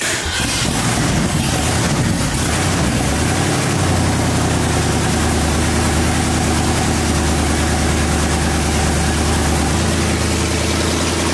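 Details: 1965 Mustang with supercharged, aluminum-headed 289 V8 and big cam, first start, idling with timing set at 14° initial (30° above 3,000 rpm): loud, steady, even rumbling idle without stumbling. It smokes from the headers.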